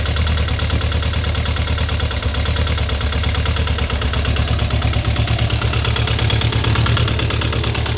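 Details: VW Beetle with Type 4 engine, first start, carburetors running rich and leaking fuel at a rocker cover: rough, steady idle with busy light clatter on top; noisy rockers, hydraulic lifters not yet adjusted, cause unconfirmed.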